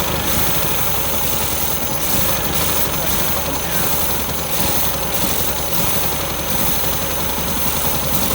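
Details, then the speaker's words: 1973 MGB barn find, first start after 41 years sitting, old varnished fuel: engine held wide open runs rough and uneven with ragged bursts over a steady roar; owner suspects floats sticking and carbs flooding, carb rebuild planned. "maybe float's digging up both because uh i think it's flooding out a little bit so you got to give it some gas"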